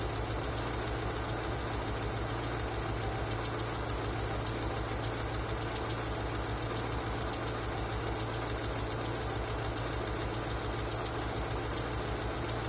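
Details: Engine knocking after an oil change: steady idle with a dull, regular knock on every engine beat; knocking at idle, cause not yet clear.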